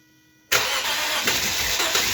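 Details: 2010 Lexus IS250 after AC compressor locked up and threw the serpentine belt, now on a shorter 7-rib 58-inch belt bypassing the compressor: fires at once, smooth even idle, no belt squeal or chirp. Normal idle.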